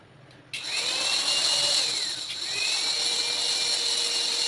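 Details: Mixer running: loud, high, steady whine with a rough edge throughout; noisy running, gear wear suspected as one cause, gear replacement suggested.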